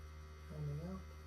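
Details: Land Rover second fuel tank transfer pump pumping fuel into a can during a 4-litre timing test: a steady low electric hum with an even pitch; pump running normally.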